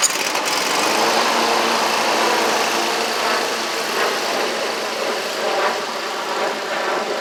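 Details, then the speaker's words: Scag Tiger Cat II zero-turn, Kawasaki FX691V V-twin, repaired (bent push rods, broken cylinder-2 rocker holder, stuck choke, clogged fuel filter), driving around: steady even drone, no misfire, pops or backfire, both cylinders firing cleanly; normal running. "Y'all can hear it crank. So she's 100% better."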